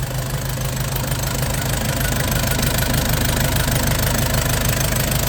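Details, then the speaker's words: Nissan Big M BD25 diesel after repair and a new radiator, refilled with 7 L oil and over 8 L coolant while bleeding air: steady, even idle clatter around three beats a second with no misfire, light revs while running in. "ติดเลยกำลังไล่อากาศระบบน้ำอยู่โดนน้ำไป8ลิตรกว่านะรุ่นนี้นะลองเร่งนิดๆดูเร่งนิ่มเดี๋ยวรันอินก่อน"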